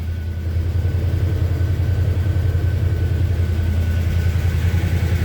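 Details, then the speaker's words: Warm 1978 Chevy C10 Cheyenne at idle: thin, steady high whine from the transmission pump, plus a light regular engine tick of unknown cause persisting after valve/lifter/rocker adjustment; good oil pressure. "the motor's got a little tick in it and he is not sure what that is he adjusted the valves on it"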